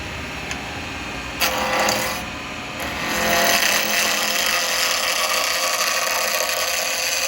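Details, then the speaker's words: Woodturning acrylic pen blank on a lathe at about 2500 rpm with a 12mm round carbide chisel: harsh rattling scrape as the tool hits the corners of the square blank each turn; interrupted cut until rounded. "so that's what we want him to get to as we're taking it down from Square obviously we get that noise but what you're wanting to get to is that where there's no noise that's what you're after"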